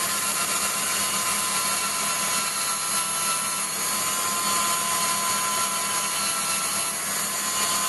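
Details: Waldown/Dumore tool post grinder internally grinding a bronze bush on a lathe, judged by sound because Sharpie can't reach: constant shrill grinding hiss with a faint uneven pulse. The wheel is still riding high spots, so the bore is not yet true.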